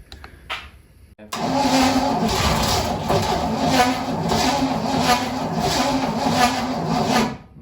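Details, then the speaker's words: 1959 Corvette after 30+ years sitting: cranking but no start; had been 180° out (valve opening at timing mark), so it was flipped around. Cause suspected, not confirmed. "yeah i was 180 out what we did was we looked at the mark the first time and then the vat one of the valves are actually starting to open that was incorrect yeah we flipped it around"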